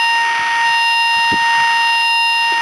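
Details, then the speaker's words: DFNA RF-null locator over a dead end of invisible dog fence wire: steady strong high beep with intensity right over the wire and no null, indicating a broken end. "You see how we get intensity right over the wire instead of a null out? If this were a complete wire, we'd get a null tone or no tone right over the wire, but tone on both sides of the wire."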